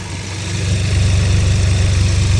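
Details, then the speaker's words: 2022 auction car with a few hail dings, left idling to warm up and check for overheating: steady, even low idle with no knocks, ticks or misses. The motor sounds pretty nice, though the oil is a little dark. "Motor doesn't sound too bad. It's pretty nice."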